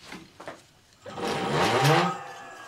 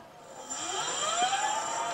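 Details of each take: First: Sparta Maxx 70 e-bike, 48V front hub motor: silent on the thumb throttle from standstill until the wheel is pushed, then the whine rises as it catches, reaching 54 km/h; open motor phase from a broken phase wire. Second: Sparta Maxx 70 e-bike with 48V front hub motor, after the broken phase wire was repaired with heat-shrink: on the thumb throttle the motor whine climbs smoothly up to 58 km/h with no stutter or grinding; normal hub motor run.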